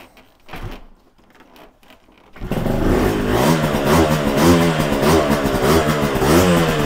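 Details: Yamaha TZR 250 3XV twin two-stroke, warming up on choke before carb setup, blipped to avoid fouling plugs: ragged, uneven note; exhaust headers 109 vs 82, indicating carburettor imbalance.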